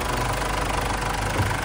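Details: Ford Everest after fixing the loose washer on the hydraulic timing belt tensioner: even, steady idle with a smooth low drone and no rattle or clatter on top; the clinking is gone.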